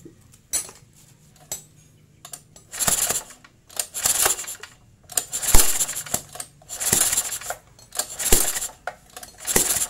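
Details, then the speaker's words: Repeated recoil pulls on a four-stroke portable generator engine after setting intake and exhaust valve clearance at TDC (about 0.15-0.25 mm), each a rattly burst ending in a sharp pop, showing compression is present and the adjustment is correct. "Nah, terdengar suara letupan. Itu berarti kompresi sudah ada dan pengaturan sudah dipastikan tepat."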